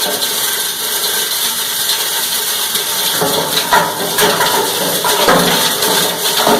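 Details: Cumberland 7.5 hp granulator, 12x12 cutting chamber, grinding PVC (Schedule 40 pipe, P-trap, fittings): dense crackling crunch with irregular hard chatter over a steady motor; cutting cleanly, normal operation.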